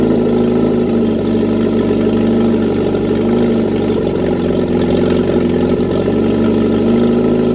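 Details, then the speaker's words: Reliant Regal Supervan 3 engine on the workbench, running after a full rebuild, with a bit of choke and a hand on the throttle. Steady, even idle with a smooth low drone, no knocks or misses; normal idle. "my first engine rebuild ever complete the engine rebuild and it actually runs how about that stranger things have happened eh but that is Mega"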